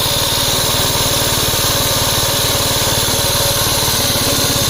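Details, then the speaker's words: 1961 Gravely L tractor engine at its set throttle speed before governor replacement: fast, even single-cylinder beat with a rough mechanical rattle on top; the governor was not working. "The first indication that I got the governor wasn't working as that noise you heard."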